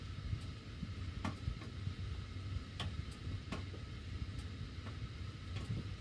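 Quiet room hum with sharp, irregular ticks every half second to second as the heat runs; the metal ducts are clicking.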